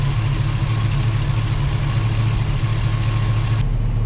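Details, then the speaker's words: Chevy Tahoe, new ATK 5.7 LS V8 finishing its first idle break-in session on a safe break-in tune. Oil pressure about 40 at idle, fans on manually. Smooth, even low rumble with no knocks, ticks or misses: normal idle. "All right, she's running. We've gotten through one idle session, or break-in session."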